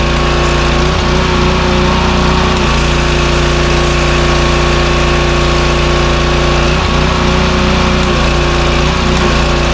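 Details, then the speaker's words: Power washer with 4-stroke lawnmower-style engine, after carburetor repair, hooked to water and spraying: steady, even beat under pump load with brief dips as the unloader releases pressure; running healthy, fixed. "The engine's picking up the load like it should, and the unloader is releasing the pressure when we let go of the handle. So it's working pretty much just like it should."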